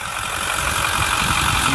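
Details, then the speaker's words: 2010 Ford F-350 Super Duty Lariat 4x4 FX4 Powerstroke diesel, under-hood engine idling with no check-engine lights: even, steady diesel idle, no knocks, misses or surging, "just humming along beautifully" — normal idle. "You can hear it's just humming along beautifully."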